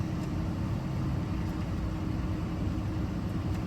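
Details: 2008 Jeep Liberty that had no crank, no start, no power to accessories and no module communication, idling after a fuse was reinstalled; suspected bad TIPM: low, steady idle hum with an even beat and no knocks or misses. Normal idle.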